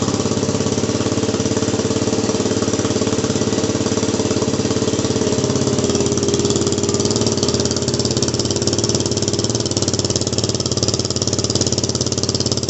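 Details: WR250R fitted with a cheap CRF230F muffler, a couple hundred miles on, fiberglass packing blown out and DB killer installed, before repack: single cylinder popping steadily at idle with loud, harsh, raspy bark; loud exhaust from blown packing.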